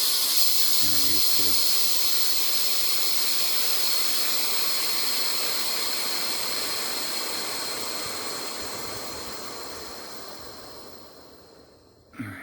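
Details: Class B camper air ride suspension after the compressor was fixed, venting from just under 50 psi: a strong, steady hiss fades over about eleven seconds as pressure bleeds off, then a click. The release valve vents normally.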